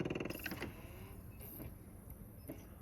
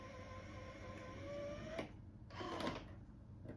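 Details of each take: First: Sony DVP-CX860 DVD changer with a C:13:00 error: a fast buzzing rattle from the spinning disc fades to a quiet whir with a few clicks. A metal piece may need gluing; the fault cleared itself this time. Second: Sony DVP-CX860 DVD changer after repair of C:13:00 error and a rattle (mechanism piece readjusted, tolerances had drifted): only faint disc spin and soft mechanism clicks, no rattle; normal, silent disc playback.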